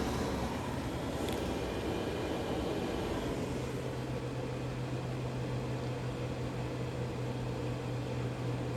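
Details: Green Mountain Grill Jim Bowie Choice pellet grill after the non-working auger was cleaned and reassembled: a steady loud hum with a low drone coming in partway from the auger motor, cause unclear.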